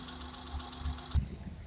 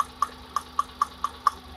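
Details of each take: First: Hyundai Eon after ignition and spark plug test with spark tester: quiet steady even idle hum, no stumble; ignition system and spark plug fine, normal idle. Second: Hyundai Eon at idle with one spark plug cap pulled off during an ignition test: light regular ticking over an uneven, faint idle with vibration; misfire, one cylinder dead, and the idle returns to normal when the cap is refitted.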